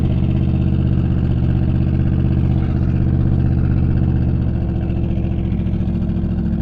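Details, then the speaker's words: Twin-turbo small-block GTO on the road, on the torque converter: deep, heavy engine drone straining without gaining speed against locked-up front brakes. "go and the brakes are locked up, dude. She's struggling hard to push through those fronts, dude, but we got to get back somehow. It is not happy."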